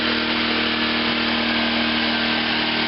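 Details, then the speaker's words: OFNA carburetor on a Raider 2, wide open and warmed up about 5 minutes, fuel jar held at a level that doesn't flood it: steady, even buzz with no surging, stumbling or misses; normal running. "No matter where I adjust it, I have a real hard time maintaining it. But at this level, it seems to work real"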